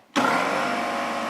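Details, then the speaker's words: Porter Cable 150 PSI air compressor, about 15 years old, bleeder once replaced, started up and pumping until shutting off at 150 psi; abrupt start settling into loud steady even drone. Normal running. "now that it hit 150 psi, it shut off."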